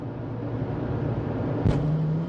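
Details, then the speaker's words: 2002 Toyota RAV4 4x4, 1AZ-FE, automatic, after the repaired ECM was reinstalled: climbing a hill, hard throttle brings a kickdown with one heavy thump as revs rise. Harsh downshift clunk; the owner suspects transmission fluid, not confirmed. "Ooh, I stepped on it and downshifted. It clunked real hard. That could be transmission fluid."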